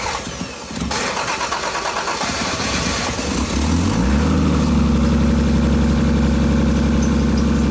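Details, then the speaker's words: Car with a cracked exhaust pipe, started after sitting a day, before a JB Weld wrap repair: cranks, catches and settles into a steady idle with a deep raspy growl from the crack, no smoke plume seen. "Well, I didn't I don't think there was a plume of smoke, but at the very least you guys heard what it sounds like. Got a nice little growl to it."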